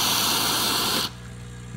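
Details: Bezzera Strega espresso machine after repair test, hot with full water tank: loud even hiss for about a second then quiet hum as the boiler is drained under pressure; normal boiler drain.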